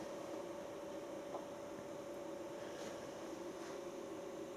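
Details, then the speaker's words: New self-contained Chinese diesel heater on first startup, set to 35; quiet even blower hum with no pump ticking or combustion yet, fan spooling up and pushing cool air as a normal pre-purge before fuelling. "Push some cool air out because obviously it's not burning any fuel yet."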